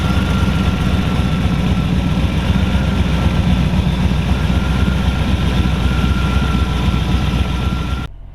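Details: 1932 Ford Hi-Boy roadster, S.C.O.T.-blown 265 CID flathead V8 (60 over bore, '49 Merc rods, S.C.O.T. 404 cam), run once more in the shop; steady low throbbing pulse about four per second, no tapping or misfire, then shut off; normal idle.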